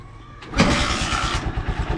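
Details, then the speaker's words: Honda Supremo with morning hard starting, fixed by turning an adjuster clockwise about 90° to raise the idle slightly: one kick and it catches at once without choke or push starter, settling to an even, steady put-put idle. "right umaandar siya kahit hindi natin ginagamit itong ch at yung push starter"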